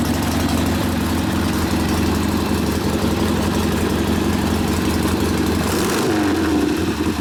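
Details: 1972 Harley-Davidson Sportster XLCH Ironhead V-twin after case repair and rebuild with brand-new rings, kick-started easily; lumpy, crisp, even-firing idle, slightly high idle speed to be lowered after break-in, good oil pressure; normal idle.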